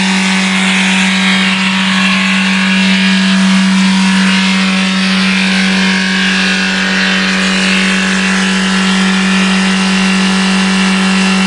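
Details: Diesel VW Golf after turbo failure screaming at a fixed, very high speed with no rise or fall: engine runaway.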